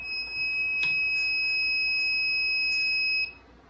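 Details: New Ender 3 3D printer, first power-on: continuous high-pitched alarm beeping while stuck on the boot screen. The suspected cause is the hotend thermistor (called a thermostat) shorting.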